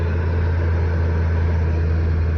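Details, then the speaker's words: Low-mileage Ford E-350 transport van that had been cranking with no start, now repaired and running: deep, smooth, steady idle rumble with no misses, ticks or knocks. Oil pressure and warning lights are normal. "So what you'd normally get is cranking with a no start. Up and running."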